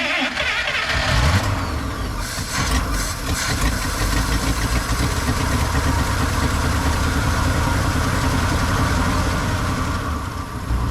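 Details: 1955 Buick Super being revived, starter actuated via throttle pedal, water pump circulating; brief crank, catches within about a second and settles into steady rumbling idle; normal clean start.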